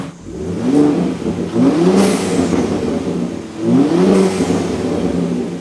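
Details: 2023 Ford Raptor 3.5L twin-turbo EcoBoost with newly installed Turbosmart vent-to-atmosphere blow-off valve (TS-0225-1001) replacing factory diverter valve, after install: two quick revs rising in pitch, each throttle lift ending in short airy hiss; valve releasing properly.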